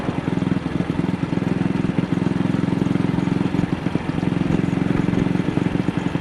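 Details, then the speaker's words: AJS single-cylinder motorcycle on the road, after cleaning the carburettor slide; spark plug and mixture had looked fine, throttle still sticking: uneven, stumbling thump at very slight throttle opening; misfire at light throttle, cause not found. "It only seems to be happening on a very slight throttle opening."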